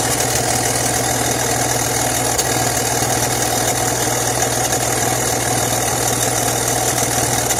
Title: 2004 BMW X3 3.0i M54 Exhaust leaking somewhere